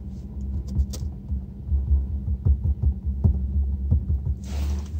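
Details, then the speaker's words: Infiniti (M56/M37/Q70), not in gear: low steady throbbing drone pulsing unevenly, likely from active noise cancellation through the door speakers; ANC system acting up suspected. "can hear the weird vibration right and as I said it uses the door speakers to create that out of phase noise"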